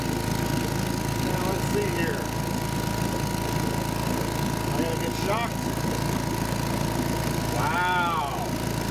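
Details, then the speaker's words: 1952 Johnson Sea Horse 5 hp (model TN-28) twin outboard, revived after sitting 50 years: lumpy, uneven beat with weak firing pulses, running on one cylinder only. "i don't know how you can hear that but uh you were right one cylinder apparently i have more work to do"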